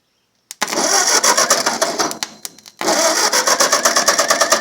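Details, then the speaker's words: 1951 Ford 8N tractor engine, bought as scrap, cranking on the starter during a compression test after carburettor and distributor cleaning, plug-wire rearrangement and excess oil drained: even pulses about three a second, no misses or scraping; cylinders one and two read solid, healthy compression. "All right. Cylinder one is solid. And cylinder two. Oh, I can't complain about that."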